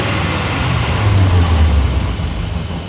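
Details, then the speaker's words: 1945 Cadillac flathead V8 with rebuilt 1945 Hydra-matic, no-load stand test, about 2600 rpm engine speed: revs, then brief dip as clutches and bands load engine during shift, 2-3 shift with 3-4 shift immediately after; normal upshifts. "if you uh if you look back at that you could actually hear another shift occur which says the um which is the 23 shift and then the 34 shift actually occurs immediately after the 23 shift"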